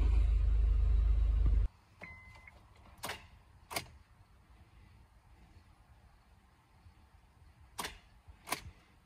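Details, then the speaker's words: 2006 Honda Accord 3.0L, high mileage, with a brand-new battery: key turns bring only sharp single clicks, two pairs a few seconds apart, with no cranking. Ignition switch, starter relay and neutral switch tested good, so the starter is bad, with a corroded solenoid wire. "he's doing it again off keep flashing you'll see it switch on the key disappear on the cluster try to crank it nothing happens I think we got a bus starter here"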